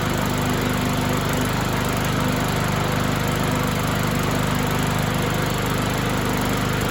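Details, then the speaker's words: BlackMax/Murray mower with Briggs & Stratton 125cc OHV engine, after replacing a broken flywheel key and fitting a Craftsman blade and adapter: steady, even drone with a clean regular firing beat and no knocks or rattles; normal running. "And voila, it works. Now that I think that blade it's sharpened. It's not perfect."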